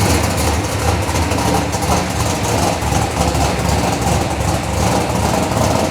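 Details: Chevelle V8 with Edelbrock Pro-Flo 4 EFI, 13.5:1 compression, said to run E85, injection not yet fine-tuned, 3.5-inch collectors into 3-inch exhaust with mufflers: deep, loud, throaty burble idling fairly evenly, no knocks or misses; normal idle.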